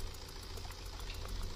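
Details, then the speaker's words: Tata Hexa diesel after replacing the shorted No. 4 injector that set fault code P2147 and caused misfiring: no DTCs remain. A quiet, steady idle with an even clatter and no skipping beat. Normal idle after repair. "हमारी जो गाड़ी की problem थी वो दूर हो गई है, और गाड़ी की साउंड वगैरह जो मिसिंग वगैरह वो बिल्कुल ओके होगी।"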